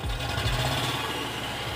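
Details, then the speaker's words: Mitsubishi Triton diesel with no power, hard starting and check engine light: uneven, lumpy beat, unstable engine misfiring; no black or white smoke; injectors suspected. "lele ini goyang ya berat ya Jadi Mesinnya tidak stabil"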